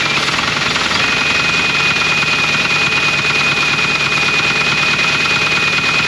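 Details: 1980 Dodge truck, sitting about 18 years, first start on fresh gas: rough, clattery, smoking idle with a hard knock on every crank turn at steady speed, a known rod knock.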